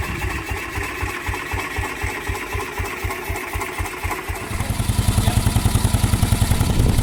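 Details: 1949 Ransomes MG5 crawler tractor, first start and drive after correcting rebuilt magneto fitted about 180 degrees out of phase and adding new fuel; even thudding about two and a half beats a second, quickening and firming midway, no misses.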